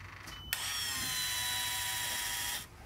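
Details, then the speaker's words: Volvo Penta boat, key on, priming a newly installed refurbished fuel pump, one of 5–10 cycles: steady high electric whir for about two seconds, then cutoff. Normal priming. "three you may even hear the sound change where it's getting the draw of the gasoline up in there yep you can hear the sound change"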